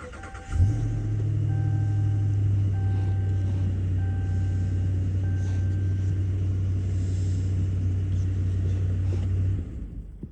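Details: 2020 Ram 2500 that had power but would not start, after the fix: brief crank, then the engine catches and settles into a steady, even low idle for several seconds; starts and runs normally, possibly temporarily.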